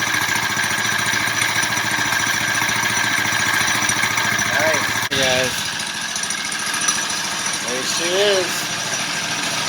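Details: Big-bore four-stroke single in a belt-drive CVT bike build, first started in almost a year: steady buzz with a couple of quick rising throttle blips. It runs cleanly with no knocking.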